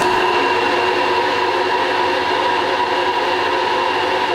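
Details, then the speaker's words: Manual vertical/horizontal combination milling machine, horizontal spindle running around 1055 setting; loud steady whine near one kilohertz with harsh hiss, about 82 dB, unchanged in every gear; cause suspected, not confirmed. "Okay, so no matter what gear I change on this thing, it is still very, very noisy. And you saw there the reading was about 82 dB as well."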